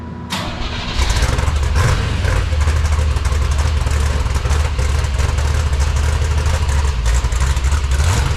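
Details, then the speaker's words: 1966 Corvette 427/425hp big block, about 15°, poor old fuel: lumpy uneven idle with stumbles, drops to about 800 rpm in gear; suspected loose plug wire, one boot later found not clipped on. "gear drops at about 800 RPMs it's not running right we think we got a plug wire off"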